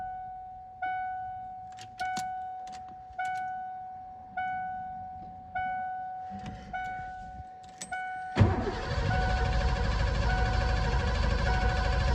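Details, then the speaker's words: 1988 Ford F-250 fuel-injected, sitting over a decade, fresh 5 gallons of fuel, battery possibly weak: door chime pinging, then long crank with dull rumble and no pickup; owner suspects bad fuel clogging injectors. "Fuel pump's kicking in. Just try her again here. Might be bad fuel plugging up the injector."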